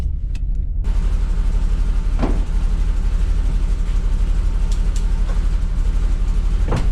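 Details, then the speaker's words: 200-euro BMW E39 six-cylinder not running on all six cylinders while driving: low, rough drone broken by sharp loud bangs a few seconds apart; engine misfiring badly, coolant still there, cause unknown. "It made a so loud bang that I got scared Coolant looks like all still there Why is it banging This thing is not running at all"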